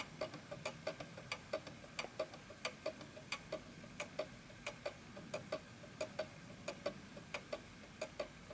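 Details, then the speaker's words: 1920s Napoleon hat 8-day mantel clock standing on an uneven surface: tick-tock about ninety per minute with the tick longer than the tock, out of beat until it stops; the fix is adjusting the calibration prongs. "Notice that the tick is longer than the tock, and at some point this will actually stop. So there you go. The reason why it stopped is because it's on an uneven surface."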